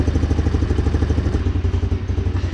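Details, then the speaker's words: 150cc GY6 four-wheeler just fitted with a new carburetor: fast, even single-cylinder putter noticeably quicker than a normal tickover; idle set too high, adjusted at the idle/air screw. "may need to adjust that idle air control valve that i showed you right right in there yeah see how it's changing the idle a little bit there we go"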